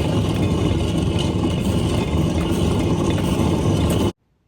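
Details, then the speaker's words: MCI 9 coach with bad kingpins: loud rough grinding rumble with fast uneven clatter as the wheel is spun on a badly worn wheel bearing. "yeah those uh that was a terrible terrible noise on the wheel bearings"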